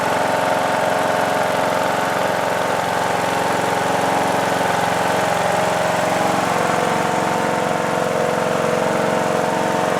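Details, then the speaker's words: Replacement single-cylinder engine in a John Deere D110 lawn tractor, after an engine swap for a blown engine, running about 10 minutes: steady, even idle with a faint valve tick; owner may adjust valves; otherwise sounds healthy, normal idle. "Gave us a little puff of smoke at startup, but it's not smoking now. I'm really pleased. The engine sounds good."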